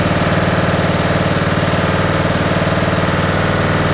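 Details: John Deere D110 lawn tractor engine, reassembled from a box and first run the previous day, started with throttle control on choke, oil just over the mark: a small single thumping at an even, quick pulse with no miss or knock, a healthy idle.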